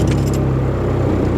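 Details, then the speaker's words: VW Caddy pickup with a 1.9 TDI PD130 diesel after the fix, with a new battery and new starter. Key rattle, then it fires almost instantly and settles into an even idle: a healthy quick start. "so I'm going to turn the key listen to how quickly this truck starts now listen to this"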